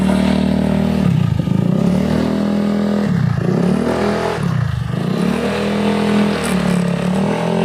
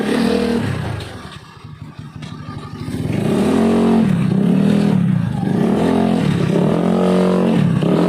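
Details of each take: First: Honda Beat carburetor scooter CVT: rough grinding rattle swelling and dipping with each throttle blip under acceleration, tested by the owner riding; worn rear pulley shaft in the CVT. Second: Honda Beat carburetor scooter CVT after repair: revs rise and fall smoothly with throttle, no rattle or grind on pull-away; the earlier ngerosok/ngerek CVT noise at initial throttle opening is gone, normal CVT operation.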